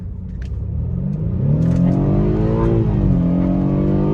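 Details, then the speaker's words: BMW F31 with N20 engine after misfire fault traced to spark plugs and coils: pulls cleanly under hard throttle, tone climbing smoothly with no stumble or popping; problem apparently resolved. "bem aí ó de boas velho não sei o que que pode ter acontecido não mas que bom né que tá sem problema agora tá aparentemente resolvido"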